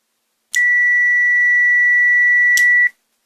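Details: Treadmill inverter controller board (open-frame, IPM) repair, multimeter continuity test on relay contacts: one steady high beep of about two seconds; relay switches properly, contacts closed.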